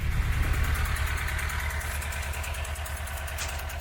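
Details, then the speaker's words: 1992 Renault Clio Mk1 1.4 automatic that had sat long in a unit: loud, very shaky, uneven idle pulsing about three times a second; misfiring rough running, cause not yet found, MAP sensor being checked. "that's quite enough of that I can't really talk over it so loathe horrible but as you can see he's got a very shaky very uneven idle"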